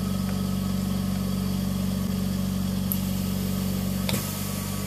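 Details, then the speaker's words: Oxygen concentrator with its cover removed and the compressor running: a few sharp clicks over a steady low compressor hum as the valve pack switches, pressurizing and depressurizing the sieve beds. This is normal cycling, and it speeds up when flow is raised. "hear the clicking sound, how it changes the sieve beds and depressurizes them and pressurizes them."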